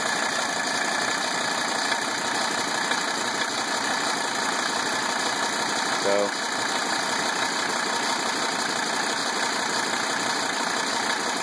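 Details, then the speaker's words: 1980 Mercedes 300SD diesel, engine just reinstalled: steady idle with even clatter, much improved, no longer tractor-like, still some white smoke. Glow plug light not working; bent fuel rack to be replaced, timing may need adjusting. "Yes. That is a huge improvement over yesterday. Still some white smoke. It no longer sounds like a tractor."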